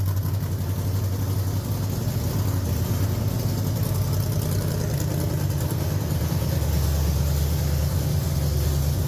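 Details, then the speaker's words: Budget dirt late model race car V8 on first start after two or three years unrun, on a two-barrel carb with no throttle spring fitted, a little smoky. A deep, steady rumble with no knocks or misfires: normal idle. "well she runs SMY it is a little smoky in here but she did run on the two barrel"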